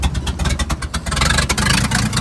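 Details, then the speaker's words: 1950s Dodge dump truck, inline six, sitting about 30 years, hot-wired with fuel hand-poured and no fuel pump hooked up, leaking gas, cracked exhaust manifold: catches and revs in uneven surging sputters, then dies from fuel starvation. "with a fuel pump or at least the line hooked up it'd probably run a lot longer but we're leaking most of our gas"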